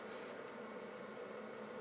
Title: Vacuum Tube Power Supply Hum Troubleshooting - McIntosh MX110